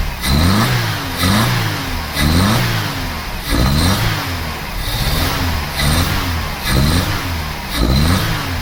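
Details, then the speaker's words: Vauxhall Cavalier GL, 1.8 litre with SRi 130 top end, new head gasket: revs blipped, rising and dropping with uneven stumbling beat; misfire traced to cylinder three, new airflow meter made no difference, injector suspected. "yeah we have a problem with cylinder three that's definitely the one that's giving us the problem"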